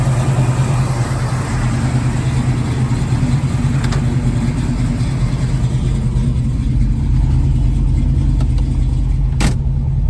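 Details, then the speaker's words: 1966 Ford Mustang 289 V8, Edelbrock 600 carb and Performer intake, lumpy cam, headers, cold after three weeks sitting, choke on, foot on gas: lopes and shakes at fast idle, uneven hunting beat, low vacuum (~7); later found one 302 connecting rod, 1/16" short. "It'll idle fine when it's warmed up, but I still got my foot on the gas keeping it going."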